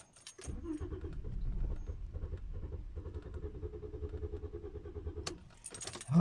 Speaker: i guess i have to try many times before it started but really doesn't run oh god who can help me okay it doesn't run do you hear that